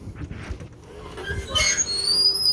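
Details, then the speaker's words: 2020 Entegra Esteem Class C RV automatic entry step moving: motor whir then a thin high-pitched squeal that rises and holds; no grease found yet that eliminates it. "that was the step turning around again so that's your automatic step listen to that thing squeal not too big not too bad going"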